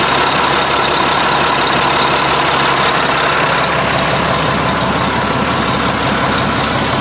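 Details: 1980 Mack FR700 diesel truck idling after restart, following an oil leak fix and first start in 10+ years: steady, even clatter with no misses, knocks or hunting, running smoothly.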